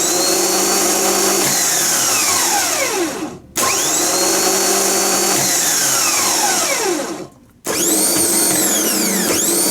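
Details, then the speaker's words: Bench free-spin of a rebuilt Bosch starter motor (BMW 740 M60 / Jaguar X300 type) with new brushes and solenoid: three quick spins, crisp whine up to speed, smooth wind-down, no grinding; healthy, slightly more aggressive than the old starter. "okay let's make it spin although the old starter wasn't bad at all this one's a bit more"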